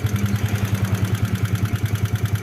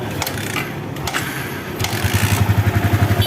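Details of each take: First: Yamaha New Vixion Lightning (NVL) at idle, clatter traced by probing to the cylinder head, clutch side smooth: rough, evenly spaced klitik clatter about nine beats a second from the top end; fault in cam chain, tensioner or rocker arm area. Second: Yamaha New Vixion Lightning (NVL), first start after rocker arm repair and cam chain timing reset, covers still off: engine catches and settles into an even, steady idle with no top-end ticking or clatter.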